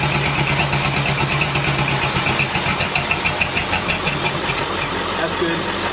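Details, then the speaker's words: 1950 Ford shoebox flathead, revived after sitting for years, idling: regular light knock over a steady idle comes from the 6-volt starter run on 12 volts, not the engine's bottom end; starter may have issues. "the engine runs it wasn't knocking the knocking noise was coming from the starter uh there might be some issues with the starter"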